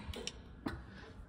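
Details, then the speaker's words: BN1 restoration, ignition on with the signal fault sorted: the original flasher relay box under the dash clicks sharply in a steady rhythm, with the fuel pump also audible. Signals are working normally. "hear that uh that's my original signal relay box clicking up there so everything is working as it should"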